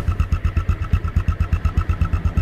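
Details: 2010 Yamaha Exciter single-swingarm motorcycle, first registered 2013: crisp, even single-cylinder pulses at about seven per second with a steady beat and no misses; a healthy idle.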